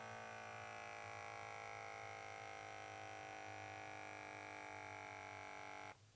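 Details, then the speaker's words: KAATSU C4 air band leak test. The small electric pump hums evenly for about six seconds, then shuts off cleanly and stays off; this band reaches and holds pressure. Normal, while another band that wouldn't pressurize possibly has a leaking O-ring. "This last air band is holding pressure. So, this one is the one that is having problems."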